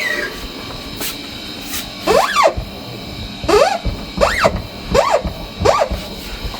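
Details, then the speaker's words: Kia Seltos after accident repair at Kia service: about five squeaky chirps sweeping in pitch as the tailgate opens even slightly; tailgate hydraulic strut squeal, silent before the repair, owner blames service work. "इन्होंने hydraulic पूरा ही बर्बाद कर दिया है। इसमें से बिल्कुल भी आवाज़ नहीं आती थी बट अब बहुत ज़्यादा आवाज़ आ रही है थोड़ी से भी खोलने पे।"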